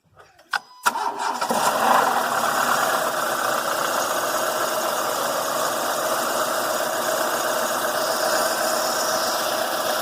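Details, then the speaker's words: Renault Mégane 1.6 16v VVT cold start after sitting overnight: a brief crank, then a harsh, busy metallic rattle from the cam dephaser (variable valve timing) pulley behind the timing belt, lasting a few seconds until oil pressure builds; the pulley was later replaced. "if you've got a Renault and you have a rattle from the engine when you start it that sounds really bad it's from this area right here behind this engine"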